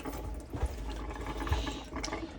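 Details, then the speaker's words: Elddis Autoquest 130 motorhome, boiler drain tap closed and filling with water: hot tap gurgles and splutters, coughing out air in bursts until up to pressure; normal air purge. "you can hear it's kind of just coughing out a lot of air at the moment that's totally normal"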